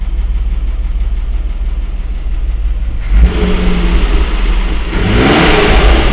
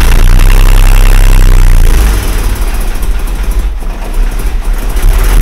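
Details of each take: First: Mercedes W126 after swapping in another carburetor to cure high, jerky idle: low, even idle around 800 rpm, revs climb cleanly and settle with no misfire or stumble; the old carburetor was the fault. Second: Mercedes W126 idle after blanking a suspected air-leak channel with a plug: deep steady drone turns rough and uneven, note changed because a vacuum line was left disconnected during reassembly; vacuum leak.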